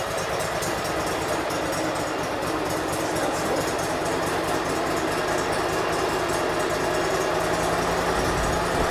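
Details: 2006 Mud Buddy HD Mini, 23 HP Briggs Vanguard, after reconnecting the kill switch: constant evenly paced idle with no misfires; normal idle, though the idle speed needs adjusting.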